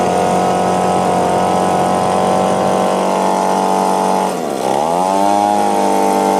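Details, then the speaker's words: Echo PB-2520 two-stroke blower, carburetor mis-adjusted by owner, choke on at start: high buzz sags and surges unevenly at full throttle, laboring, won't idle; clogged carburetor screen suspected. "I think I just need to clean out the carburetor, see how it would rev up and it'd reach a baseline, it seemed like, and when it would, sometimes it'd go up, sometimes not."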